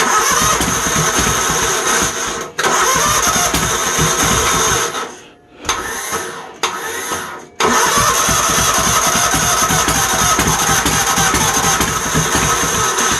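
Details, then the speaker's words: Troy-Bilt GTX 20 small engine after new valves, fuel poured into carburetor, failing starter: loud, uneven clatter that cuts out, stumbles and catches again; carburetor floods over; carb kit on the way. "I just put gas in it likes the flood over I got a carburetor kick common butt"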